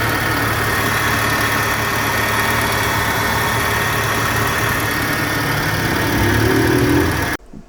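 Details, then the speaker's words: VW Gol G4 petrol engine idling after replacing a poor-quality belt tensioner/guide pulley bearing that caused a cricket-like chirp (compressor wrongly suspected); now a low even hum with no belt noise. "o barulho da correia tava devido a esse rolamento de má qualidade que P aqui na ponta aí ó sem nenhum barulho mais ó"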